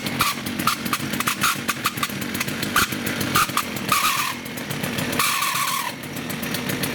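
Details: STIHL FS56 two-stroke trimmer idling with a sharp high screech cutting in and out over the rattle, apparently from the clutch; the trimmer head wants to turn at idle when it should not. Clutch squeal at idle.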